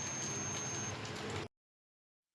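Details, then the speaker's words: BPL CRT TV with no sound: multimeter continuity beep, thin high tone holding about a second across speaker coil; both speakers found good, sound IC section to be checked next. "Friend, metre से चेक करने से पता चला दोनों स्पीकर भी अच्छा है।"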